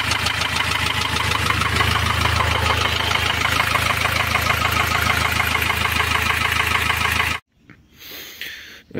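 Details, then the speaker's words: Ford Transit diesel van at idle: sharp even tapping about three times a second over steady idle; rocker arm on cylinder one fallen out, that valve inoperative, camshaft edge slightly damaged. "o barulho é o quê um balancinho ele tava caído fora aqui ó do primeiro cilindro ele tava caído para fora não tava funcionando essa válvula aqui"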